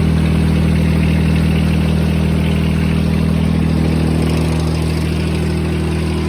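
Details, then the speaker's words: John Deere 455 tractor with a 3-cylinder Yanmar diesel, started after a brief glow-plug wait: an even, steady, low clatter of about 200 pulses a minute with no knocks or misses, a healthy idle. "Let's start up the 455 and hear the 3-cylinder Yanmar diesel."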